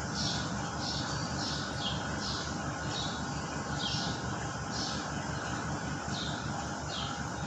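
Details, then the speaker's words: WOSON autoclave running its cycle: steady low motor drone, birds chirping outside, as the vacuum pump draws down normally; chamber then near 128 °C at pressure reading 171, still heating. "Vous entendez bien le grondement du moteur quand il aspire. Donc ce petit bruit que vous entendez, c'est le moteur qui aspire. C'est la pompe de vide."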